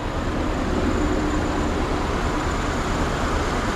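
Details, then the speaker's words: Wagon idling with the engine rocking badly and tearing the motor mount: uneven lumpy idle with irregular stumble; one cylinder possibly dropping out, spark plugs suspected. "might need some spark plugs in case he's not firing a cylinder or something"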